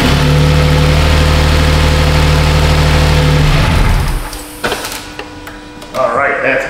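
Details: 2007 Toyota Sienna 3.3 after fixing P0340 camshaft sensor fault (previously extended cranking): smooth, even idle with steady low hum, then switched off; runs normally, timing not jumped.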